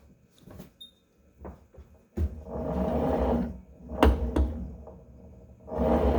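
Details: Tonal home gym cable retracting: rushing whir broken by sharp clicks or pops; a cable system reset is the suggested fix, cause not confirmed.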